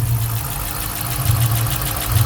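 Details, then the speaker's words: 5.7 L Hemi at 160,000 miles: steady quick light tick over a deep even idle; owner unsure whether lifter tick or exhaust leak, plans to check oil control valve for aluminium shavings; cause suspected, not confirmed. "Hemi tick exhaust noise what y'all think"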